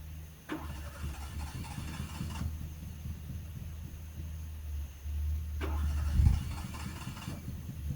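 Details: Fiat engine cranks in two bursts with low, uneven chuffing, firing on only 1 or 2 cylinders and never keeping running; owner suspects old spark plugs or wet wires. Crank, no start.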